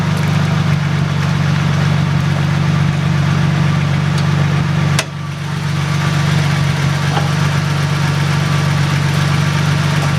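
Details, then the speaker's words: Toyota Supra idling after four months of winter storage: steady, even idle with a smooth low hum and no knocks or misses; healthy, though an unexplained warning light shows. "but it sounds like it's running pretty good in here there's a weird light I don't know why it has that but everything sounds good it looks good"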